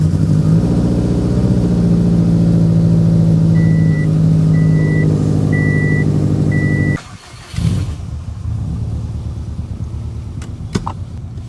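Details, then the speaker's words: Rebuilt Subaru WRX engine at idle after fixing exhaust cams on cylinders 2 and 4 that were two teeth out of time; steady smooth idle with dash chimes, running much better, though a very slight clicking was later noticed. Normal idle. "We're back up and running. Let's go see how it operates. Oh, so much better."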